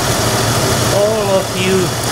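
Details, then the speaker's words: 1997 Toyota Tacoma 3.4 L V6 idling steadily and evenly with no stumble or skipped beats; smooth, healthy idle. "it was basically the system of throw idles perfectly pulls like a kitten and runs like a swis watch you don't believe me well listen to this"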